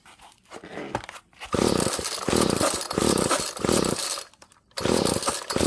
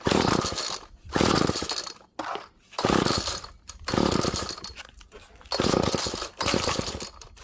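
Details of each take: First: Found free GTI 16D two-stroke string trimmer with compression, choke on: buzzy bursts that catch, die back and pick up, then a steady revving run; starts and runs fine. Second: Found GTI 16D string trimmer two-stroke with compression, choke on: repeated rasping pull-cord rips about every second with no catch; cranks but won't start, owner thinks it may be over-choked, heard it try to light.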